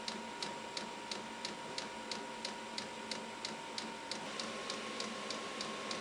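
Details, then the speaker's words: VEVOR Chinese diesel heater, first test run on a 12 V deep cycle battery, after preheat as it starts to run: crisp, even fuel pump ticking about three times a second over a faint steady hum; metering normally during startup. "after i shot it on the preheat time it starts to run and i can hear the fuel pump pulsing"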